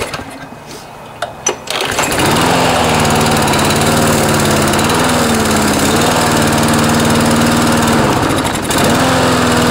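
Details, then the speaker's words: Briggs and Stratton auto-choke lawnmower engine after aftermarket carburetor replacement; catches and settles into a steady drone but at full throttle pitch stays low and won't rev up; governor spring too loose, fixed by bending linkage loop to tighten it. "so you can hear on full speed it's not quite revving up as much as it should"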